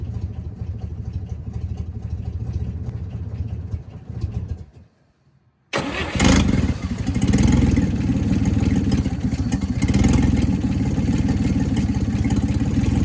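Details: 1958 Chevy Apache truck engine after sitting for decades, extra hot wire added to the coil: cranks, falls silent, then catches and runs loud and uneven; first start in decades.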